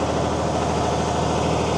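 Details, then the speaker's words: Mercedes-Benz 911 4WD diesel truck idling after sitting about 8–14 years: steady, even idle with low rhythmic chuff while the air compressor charges the brake air tanks; healthy. "Here's some air building up. Look at these tanks charging."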